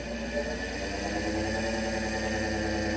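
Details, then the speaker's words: Solectria UMOC440 motor controller after a bad fuse assembly was repaired, with regen off and parameters not matched to this motor: an even whirring hum at steady pitch with no stutter or cogging. The motor spins smoothly. "these parameters are not actually the right for this motor so but it spins a lot better so you can hear it yeah I just get it going"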